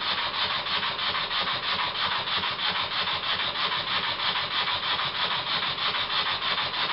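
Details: Old Bassett-Lowke steam plant engine resembling a Stuart S50 (metric fasteners, slightly different design), run on air fed by a pipe pushed onto the steam chest cover, which leaks; valve set fairly accurately, flywheel just pushed on: crisp even chuffs about three per second, light hiss, plenty of power.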